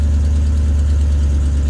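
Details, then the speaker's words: Truck with holed exhaust; passenger exhaust manifold just redone after pitted head ports were sanded: loud blunt low idle rumble with raw puffing exhaust note; exhaust leak. "exhaust on this thing. It's got a hole in it."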